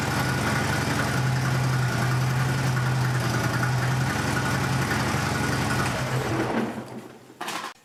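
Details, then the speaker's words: 2008 Harley-Davidson Road Glide V-twin after fuel filter replacement: even potato-potato lope near four beats a second, steady low drone, shuts off cleanly; normal idle, everything working. "so everything uh appears to be working correctly"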